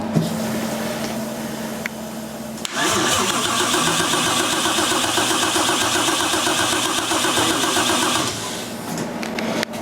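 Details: 1JZ engine swapped into an S13 240SX, after rewiring with swapped-around wires, large voltage loss still suspected: steady, even cranking for about five seconds with no firing or catch; cranks but won't start, cause unconfirmed.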